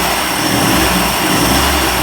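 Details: 1990s 30 hp Evinrude two-stroke outboard idling smoothly and evenly with no stumbling, after carburetor rebuild, spark plug change and roller cam adjustment to cure stalling and rough idle.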